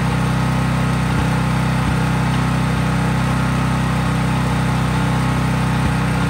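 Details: Craftsman 5000 W generator at full speed with only an LED bulb plugged in, effectively no load: even, steady low drone at constant speed, no hunting, misses or rattles; normal no-load running.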